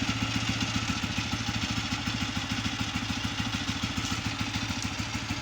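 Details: Honda 125 motorcycle after oil pump gear fitting and seal change to cure a noise: even, regular idle putter, about three pulses a second, with no tapping or whirring; idles cleanly.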